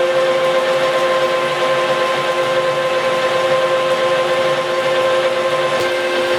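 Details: Lathe roughing a new shaft for a Vermeer 1800-A wood chipper rotating unit, about 4-3/4 in diameter at 300 rpm, 50 thou per side, coarse feed around 25 thou per revolution: steady scraping hiss with ringing tones, chalkboard-like; a normal cut.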